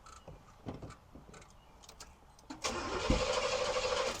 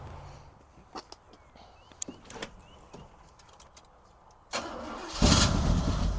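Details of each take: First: 1971 Oldsmobile Cutlass Supreme SX with 455 engine, sat unrun for years, started with a jump pack: brief starter whirr, then engine catches at once and settles into a steady rumble; starts readily. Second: 1971 Cutlass Supreme SX 455 that sat for years, started with gas poured in the carburetor: scattered clicks, then a ragged, uneven burst that surges and fades; running rough on first start.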